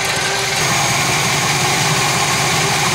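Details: 1966 Chevy Biscayne 396 big-block V8 idling after heat riser repair: dense, steady idle with strong hiss and even low burble, no ticking or knocking; normal idle.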